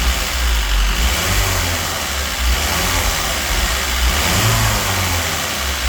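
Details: Citroën DS3 1.6 petrol found nearly out of oil, with fluctuating idle and rich-mixture and cam-timing codes, being revved: a rough, clattery top-end knock that follows the throttle. Damage from oil starvation is suspected, though the exact source is unclear.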